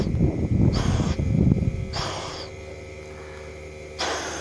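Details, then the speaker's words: 6.7 Cummins, engine off, intake pressurized to 15 psi with a homemade boost leak tester: sharp bursts of hissing air come and go from a hole in the side of the block where a screw worked its way out; the fix was threadlocker and refitting the bolt. "there's a screw laying right there and it's uh worked its way out of the basically side of the block there so i can plug off where the air is coming out where's the hole"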